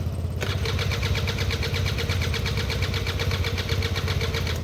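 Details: Derbi 100cc two-stroke first start attempt with a battery fitted and fresh fuel, carb not yet cleaned: catches and runs with an uneven, ragged popping beat, no clean idle; rough running after hard start, owner expects it needs a carb clean.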